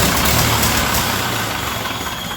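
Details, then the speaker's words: Ferguson TEA20 tractor, British Standard engine, right after valve adjustment: loud, uneven idle with a sharp puffing chatter from a massive exhaust leak on one side; manifold gasket suspected; runs slightly better than before. "I've got a massive exhaust leak over on this side. I gotta take the manifold off and see what's going on with the gasket."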